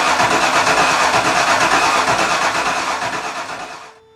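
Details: 5.0-litre V8 swapped into a Miata, first start on fuel pump: steady, fast cranking about three beats a second; engine tries to catch but never fires properly, distributor timing one tooth off; smoke noted and smell from spilled fluid afterward.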